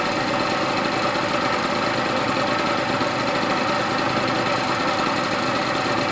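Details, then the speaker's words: Pulse Force 50cc GY6 two-stroke scooter after new fuel line, first run after sitting a while, rich two-stroke oil mix: steady even crisp buzz with no knocks or rattles; sounds healthy, needs loosening up. "all right guys that sounds amazing i've got a lot of two-stroke oil in there the petrol is literally red"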